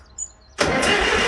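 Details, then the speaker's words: Farmall tractor after manifold studs were torqued and the engine repainted, choked for start-up: a click, then under a second of starter churning with no firing; crank no start because the ignition switch and fuel were left off. "I didn't turn the switch on. I didn't turn the gas on. I gotta stop being excited."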